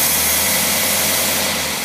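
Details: Rebuilt Tyler Motorcraft single-barrel carburetor tested on a running engine: steady even engine note with bright hiss on top, no hesitation, misses or knocks; running cleanly, readings excellent.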